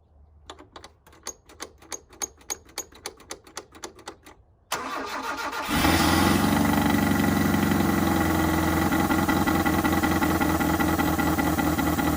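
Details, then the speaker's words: 1983 Mazda B2000 carbureted engine, fuel line just reconnected to carburetor: about three cranking pulses a second, then fires and chugs unevenly while the float bowl is still filling; fuel starvation. "we are going to fire it off see what happens i suppose i don't let the bowl fill first"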